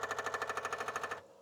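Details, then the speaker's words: Repaired Apple II Disk II floppy drive, cleaned and reassembled with added sockets, reading a Greaseweazle-written disk: loud rapid clatter, about a dozen even head-step clicks in a second, then settles; loud but working. "Sure is loud, but it works. It's working."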